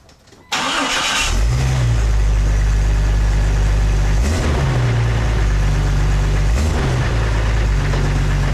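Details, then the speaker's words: 1999 Jeep Cherokee XJ after new stainless-steel cat-back exhaust installed: engine fires into a deep, even burble with two clean smooth revs, nothing rattling; healthy exhaust, a bit quieter than the previous welded muffler. "Alright, so as you guys heard, it is a little bit quieter over that thrush welded muffler that we had on prior to this, but that's okay with me because this is a daily driver and I don't want to be totally obnoxious all the time with a loud exhaust a lot better."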